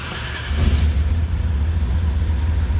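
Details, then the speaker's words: 1972 Chevrolet Malibu convertible, 383 stroker V8 with Holley Sniper EFI and 700R4 automatic, cold start: quick catch, then a deep, steady, even rumble from the exhaust; starts cleanly and idles smoothly. "totally I thing sounds good little Rumble coming out of the fuel exhaust"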